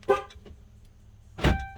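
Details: 2009-12 Ram 1500 after START-X remote starter installation and programming: a short horn chirp, a pause, then the starter catches and the engine settles into a smooth idle; the remote start works.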